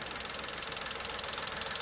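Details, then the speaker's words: VW 1.2 three-cylinder engine with Landi Renzo LPG system, idling after switching to LPG: fast, even crisp ticking, about fifteen clicks a second, from healthy working LPG injectors. "The car switched to LPG, in fact we hear the ticking of the working injectors."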